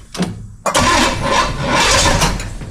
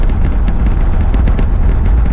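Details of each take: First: 1968 Pontiac LeMans V8 right after refitting the distributor and plug wires: two long bursts of starter cranking with no firing. It will not start; distributor timing is suspected as the cause, not confirmed, and the distributor gets moved a notch. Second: 1968 Pontiac LeMans V8 on the road after correcting a distributor that had walked out of position: deep, steady rumble with no misses and smooth, even pull. Temperature holds around 180; it is running normally.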